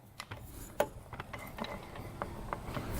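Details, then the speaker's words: 2000 Honda 400EX engine, bottom end, after it locked up riding in fifth gear: loose irregular clunks as the bare crank is rocked by hand, heavy up-down and side play, catching when rotated; bearings junk. "and when you rotate it it actually gets caught in some places so i think the bearings are just junk in there"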